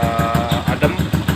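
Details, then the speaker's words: Yamaha Jupiter Z 125cc bored-up engine after light tune-up (complaint: vibration and power loss at high revs); even putt-putt idle about six beats a second, no knocks; engine sounds smooth, only clutch automatic bell gear still worn. "untuk mesin depan suaranya Udah"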